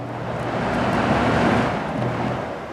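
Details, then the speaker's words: GE/Samsung 8000 BTU air conditioner, fan on low speed: steady airy whoosh with low hum once the wiring harness is moved; relay clicks fine, intermittent connection in the harness, likely a faulty connector, not the motor. "So, the wiring there. The issue is in here with the wiring."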